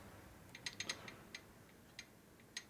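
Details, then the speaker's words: 1947 Harley-Davidson EL 74ci Knucklehead rebuild with the cam gear rocked by hand: only faint occasional metallic clicks, almost no backlash. Pinion and cam gears mesh too tight, likely an oversized gear on the new cam. "there's no backlash in those teeth at all so that means a pinning gear and a big gear might be too tight with each other"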